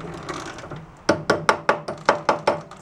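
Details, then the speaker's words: Roadside-salvaged snowblower being repaired: slow, even chain clicks, about eight in two seconds, while the chain is turned by hand after freeing stuck links; normal chain noise, since these are noisy from the factory and spin slowly. "They're always noisy. Even from the factory, they're they're pretty noisy with that that sound. You got to remember this thing spins really slow."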